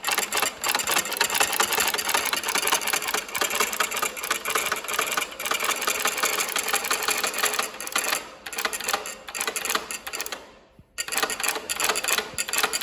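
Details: Industrial sewing machine making a loose looped chain stitch after a recent deep clean. Fast, even rattle of needle and hooks with a steady rhythm and no grinding or knocking; runs healthy.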